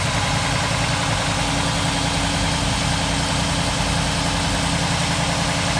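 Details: 1947 Ford street rod V8 idling after the intake manifold and distributor were reinstalled and a leaking gasket was replaced; steady, even idle with a smooth low rumble and no knocks, ticks or misses. It runs healthy.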